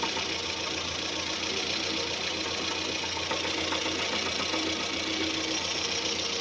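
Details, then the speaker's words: Camshaft end-play knock: a fast, even, dull light knock from the top end, about three to four per second, caused by the camshaft moving endwise. The fix is replacing the worn cover. "о слышите звук да то есть вот он непонятный глухой стук"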